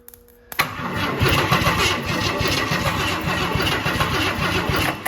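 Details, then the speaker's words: Donor V8 for 1969 Ford F350 Camper Special, in shop, just timed, coil powered directly from battery, no fuel yet: starter spins it at an even beat about 3.5 pulses a second, no clanks or grinding; normal cranking, sounds good. "Get some fuel to it. This thing should run. Sounds good so far."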